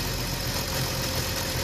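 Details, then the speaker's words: BMW M54 petrol engine at idle with a new crankcase breather fitted, dipstick tube blocked off: an even, steady idle with no slurping. The breather is holding vacuum properly. "Teraz zatkam i nie będzie słychać siorbania."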